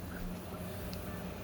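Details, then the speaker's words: 3D printer Berd Air cooling with a quieter, pricier pump in place of the standard loud kit pump, new gantry setup: only a soft steady airy hiss and faint hum, no motor whine; running quietly and normally. "Dead silent. That's how bird air should be. And this is a standard bird air kit pump, which is usually loud as hell."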